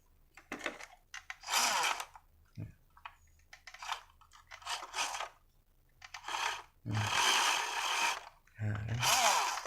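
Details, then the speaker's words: WPL C24 RC truck after over a month of use: short bursts of high motor whine with rough rattly edge never settling into drive; replacement plastic gear on loose axle stripped and slipping under motor power. "kalah ya gearnya. Ya kasus pertama sama dinamo juga."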